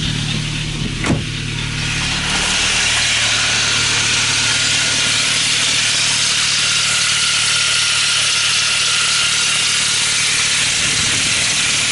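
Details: Saab 9-3 petrol engine just after cold start: steady hiss with a faint rhythmic pulsing hum lasting about 5–10 minutes or 2 km, then going silent; cause unknown.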